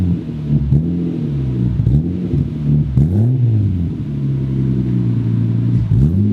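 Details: Nissan 240SX project car, first start-up after engine swap: rough, uneven idle surging and sagging every second or so without settling; ECU limp mode dumping fuel, pedal unresponsive.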